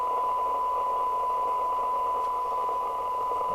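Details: 1981 Planet 2000 C27/81 UK FM CB radio (UK4000 chassis) after repair and alignment: clean, steady tone near 1 kHz over light hiss, with no warble or dropouts. Receive sensitivity of 0.46uV for 10dB SINAD exceeds specification.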